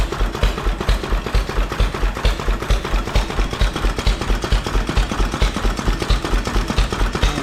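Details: 1931 McCormick Deering Model M 3hp stationary engine running after a new molded plastic fuel tank was installed and the fuel pump primed: heavy, even low thumping at a little over two beats a second, steady; running normally.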